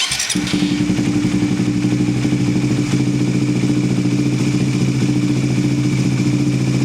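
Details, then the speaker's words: Suzuki GSX-S150, cold start after timing chain tensioner adjustment: engine catches and settles into a steady even idle with no ticking or chain rattle; the earlier tick is gone, valvetrain quiet and healthy. "Yan, so narinig na natin yung difference guys ng before ma-adjust and yung after. So malaki yung kaibahan niya, no? Talagang nawala yung lagitik."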